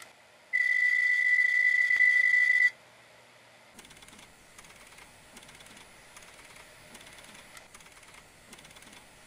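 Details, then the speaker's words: Hard disk drive in serious trouble: a shrill whine, then rapid, scratchy loud ticking about four a second, the kind of continuous grinding or ticking heard on a physical check that signals serious drive failure. "look for possible exterior damage and listen for sounds like continuous grinding or loud ticks like this"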